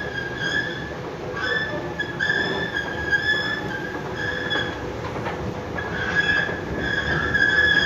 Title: Fatih köprüsü metro girişi.Gürültülü gıcırtılı yürüyen merdiven sesi.